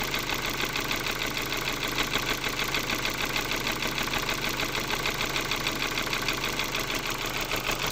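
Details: Ford Focus 2 with 1.6 115 hp engine: a steady sharp knock about three times a second over an even idle; engine knock at idle, cause not yet pinned down.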